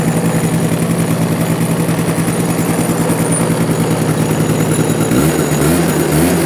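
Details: Cobra Chinese quad after carburetor cleaning, kick-started first try: single-cylinder putter at about two beats a second, slightly uneven but steady, runs halfway decent; brief grinding was only the kickstart going too far.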